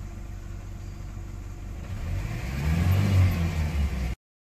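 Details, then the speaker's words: Four-cylinder car after replacing all eight spark plugs with Autolite 764 plugs at the correct gap: low, fairly even rumble idling for a while, swelling slightly, no stumbling or stalling; steady healthy idle. "so it's been idling for a little while now it's at 7:50 and it's not stalling"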